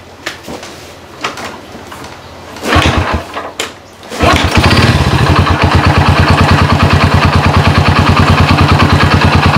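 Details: Honda Supra motorcycle converted to LPG with a GX160/200 LPG carburetor and low-pressure regulator: a few kicks, then it catches within two cranks and settles into a steady, even idle of about three beats per second. Normal idle.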